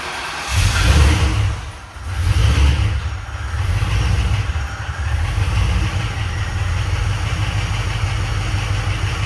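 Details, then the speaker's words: 2007 Crown Victoria police-car V8 under a 1966 F100 body, heavily used: starts and revs with deep uneven rumble and faint irregular knock; source unclear, owner checking whether knock is internal or from belt-driven accessories. "all right well something is definitely not walk over here so something definitely going south on this thing um it's hard to say exactly what it is"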